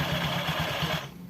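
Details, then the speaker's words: Scooter after fixing CVT rattle and jingle by refitting the drive correctly and using a longer belt: even, smooth drive hum with no jingling or rattle from the belt side, then settles quieter; transmission noise gone. "Nah udah hidup kita dengarkan Apakah masih ada bunyi ngelintring atau tidak nih teman-teman bisa cek sendiri tuh udah hilang kan bunyi krinching-krinchingnya"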